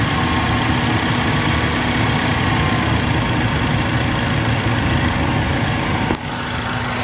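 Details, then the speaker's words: Acura RSX with P1259 code and limp mode: steady idle, then an abrupt drop in tone and level as VTEC engages when the VTEC solenoid is powered directly from battery positive. "so I don't know if you guys heard that or not but the engine actually changed pitch so um I think that's my issue"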